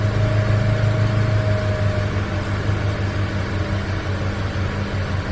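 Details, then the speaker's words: 2008 BMW 335i E90 after EKPM3 fuel pump control module upgrade for long cranks: instant cold start, then smooth steady low idle with an even pulse and faint AC hum; normal idle. "but that was a good cold start pretty instantaneous"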